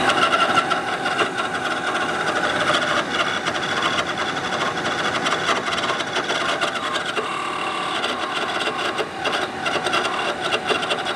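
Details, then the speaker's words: Attwood RV furnace in a Dolphin motorhome: loud, raspy, fluttering grind from the blower until it cuts off; owner thinks a bad blower fan motor, possibly fan rubbing. "this one has a bad fan motor and i'm going to show you here in just a second i think it does it has a bad fan motor or a fan is rubbing on something but i think it's probably a bad motor"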